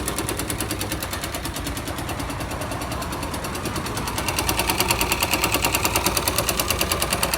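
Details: 2005 Yamaha YBR 125 single found with very low oil, refilled, now smoking and leaking oil at the clutch seal: sharp, dry knock about three times a second at idle. Engine knocking, cause not yet found.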